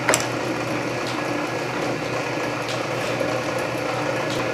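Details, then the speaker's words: Canedy Otto drill press in back gear at lowest speed (about 60 RPM) with power feed engaged, spindle advancing slowly at same depth per rotation; steady whir with light regular gear ticking — normal power feed operation. "you can see how slowly the lowest speed will advance that spindle down of course it's advancing at the same depth per rotation as it is in high speeed but everything is just slowed down"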